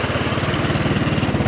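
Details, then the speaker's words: 150cc GY6 engine in a Hammerhead off-road go-kart, just after a cold start without gas: a steady, even low single-cylinder putter with no misses or smoke; normal idle. "Oh, good. Started without giving it gas. So you guys could hear it starts, it runs, right?"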